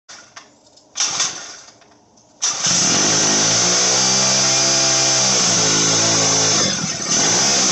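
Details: Motorized bicycle small two-stroke, turbo version 4, after jetting fixed: catches and revs into shrill dental-drill-like buzz swelling and easing smoothly with throttle; runs clean and healthy.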